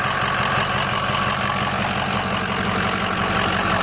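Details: Ford 6.0 diesel after turbo replacement, oil cooler, dummy plugs, EGR delete and coolant flush, warming up: a steady, even idle with a soft regular clatter and no knocks or misses. Normal idle.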